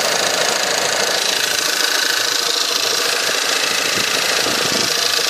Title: Стук на холодную 1.8 tsi